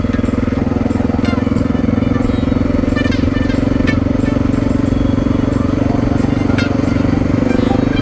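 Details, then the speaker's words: 2000 XR600R big single being ridden, with the motor sound amplified through the gas tank. A steady, even thump with no knocks, misses or ticking, running smooth, though the owner senses the cam chain sliders may be worn to metal. Normal running. "i've noticed that the sound of the motor is amplified through the gas tank well yeah i'd have to say this motor's working pretty"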